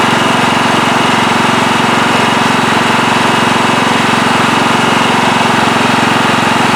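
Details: Late-1990s Scotts lawn tractor, single-cylinder Kohler engine, after carburetor cleaning to cure surging: even, steady engine beat at low idle with no hunting, running smoothly, perhaps a slight hiccup remaining; normal running.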